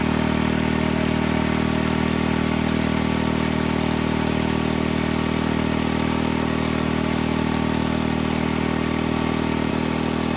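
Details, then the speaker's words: Barn-fresh 1951 Briggs & Stratton 6B-SF single-cylinder, 1.75 hp, running without choke once fuel drew up from the tank: steady, even beat about three and a half firings a second, no misses or surging; normal running. "it must have just taken some time for it to get gas out of the tank up into the cylinder and did help when i choked it gave it more vacuum right so that that was key to getting it going once it got going didn't have to choke it at all ran great"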